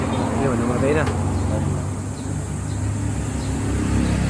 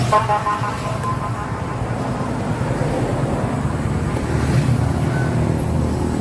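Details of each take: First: Yamaha YTX125 motorcycle that starts but won't keep running: a low, lumpy idle sags partway through and struggles to stay alive; misfire and stalling. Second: Yamaha YTX125 after its carburetor was cleaned, which fixed the misfiring and stalling: the engine runs smoothly and holds an even note over road noise, with no sputtering; running normally.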